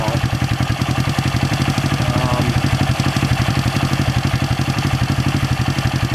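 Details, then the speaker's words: 1970 Honda SL350 twin after fixing a carburetor air gap and a loose float seat: idles with uneven, lumpy chuffing around four pulses a second, still running rough; shifting hard, not leaking gas. "another jog around the block and uh still kind of running crappy it's not leaking gas shifting kind of hard I don't like that at"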